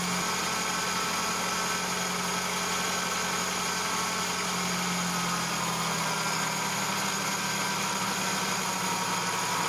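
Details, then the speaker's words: Free 1987 Toyota pickup, 22R carbureted petrol engine that sporadically won't idle; after carburetor rebuild and idle adjustment it idles fast, then drops and settles smooth and steady, though the problem returned a day later. "some that sounds a lot better now it'll just keep running well now it's running perfect what the heck"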